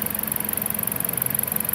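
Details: Dodge Caliber after fixing no-start/no-run electrical fault with relays relocated from behind headlight: smooth, even idle with steady low pulse, no knocks, misses or whine; rpm good, normal idle.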